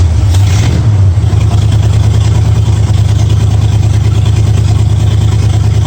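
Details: 1965 Mustang V8 with new headers, timing at 12 degrees before, after turning the front idle screw about three quarters of a turn: deep even burble at steady low idle, no misses, ticks or hunting; sounds real good.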